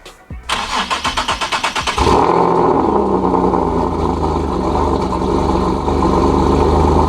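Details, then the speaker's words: Single-turbo Nissan 370Z Nismo cold start after sitting about three days, near 100°F ambient, checking for exhaust leak (raspy on cold start if leaking): quick cranking, catches, settles into smooth even high cold idle with no rasp or puffing; normal start. "so and it sounds like we're good"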